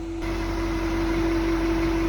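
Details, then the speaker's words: 2023 Chevy Silverado 2500HD 6.6 Duramax diesel, 800 miles, cold start at about 30 degrees: steady mid-pitched whistle over an even idle; owner first feared the fuel pump, now suspects the radiator fan pulling air through closed grille shutters. "so if you look inside the grill the grill shutters right now are closed and where this truck was started up cold and I believe that big fan sitting in there pulling air through the radiator is making a whistling sound trying to pull it through those Grille shutters so I think that's what the noise is"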